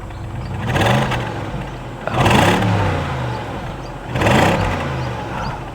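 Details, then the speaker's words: Stock BMW X5iS V8, revved before it got too hot: three quick blips that rise smoothly and return to a steady idle with no clatter, vibration or hesitation; a healthy engine. "it is so smooth there is no vibrations no hesitations"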